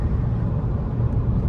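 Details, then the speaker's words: Repaired rollover Tahoe at 40–50 mph, heard in the cabin: only a low, steady road rumble with no whistle or rushing air around the door perimeters; the door-jamb seals are holding after repair. "And I don't hear nothing that concerns me. So we did a good job on our door jams."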